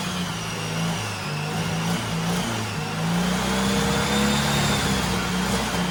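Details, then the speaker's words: Turbo carbureted Porsche 930 rat rod after new carb install: loud throaty revving rising and falling cleanly, no knocks or stumbles, reaching about 8-9 psi boost; healthy running, though owner notes a remaining fuel issue. "oh my god i'm so happy that [ __ ] thing sounds awesome"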